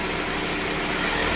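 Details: 1997 Toyota Camry with a replacement used engine, low mileage or recently rebuilt, driven quite a bit since: smooth, even idle with a steady hiss and low hum, no ticks, knocks or stumbles; normal healthy idle.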